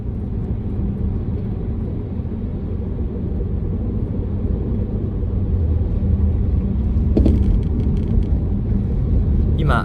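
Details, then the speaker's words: 2008 BMW X5 E70 4.8i on test drive after replacing worn front lower control arms: sharp knocks over bigger bumps above road rumble, and squeaking heard too; front suspension clunk remains after the repair. "Still, there is a hitting noise when I go over the bumps Yeah, bigger bumps make some noise"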